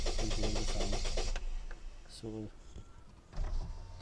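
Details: Toyota Duet: starter churns about four turns a second for just over a second, engine never catches; cranks but won't fire, with the fuel pump blamed for no fuel reaching the engine.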